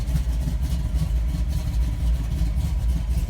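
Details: 1979 Ford F150 cold idle on a snowy March day just after a quick start, battery previously jumped and fuel low; low steady rumble with even pulsing beat, no knocks or misses, left to warm up.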